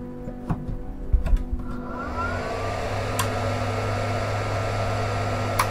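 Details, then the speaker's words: Benning 1300 W 48 V 25 A tabletop industrial power supply at start-up: fan whirs up at 100% then drops in pitch to a steady, even hum, no rattle, about movie-projector loudness; cooling fan normal. "Or not. Actually, it's not that loud. It's around the volume of a movie projector. They are quite annoying sometimes, but it's not as loud as the beginning."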